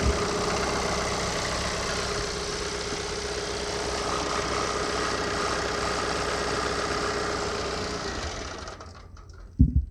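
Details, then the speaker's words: John Deere 4052R tractor diesel after fuel filter change: idles roughly about eight seconds then dies as air remains in fuel system: stall from air in fuel system. "see told you don't be alarmed it's not the first time it's happened to me just trying to get fuel and everything"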